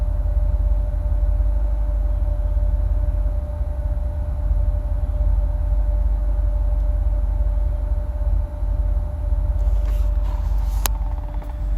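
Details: 2008 Corvette C6, automatic, tuned, with cold air intake, long tube headers and no cats, plugs recently changed: deep burbling idle with uneven lumpy pulses, no steady rhythm; rough idle, cause unknown, owner notes rpm dances when fans kick on.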